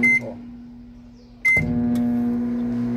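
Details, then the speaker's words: Electrolux MF41 31-litre microwave with a wrongly fitted, oversized heavy transformer: loud steady low hum that kicks in with a thump at switch-on and stays heavy while still heating; loud transformer hum. "bem pesado e dá até um trampo na hora de ligar"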